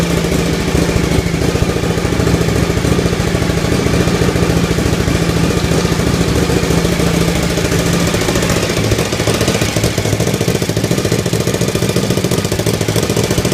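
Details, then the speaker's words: Suzuki TL1000R first startup after four-month restoration, exhaust gasket (donut) still missing: loud lumpy fast idle with uneven pops and sputters plus hissing from the leak; irregular idle with exhaust popping, owner suspects the missing gasket. "lot of popping. Okay. Alright. I'm getting some hissing from the leak."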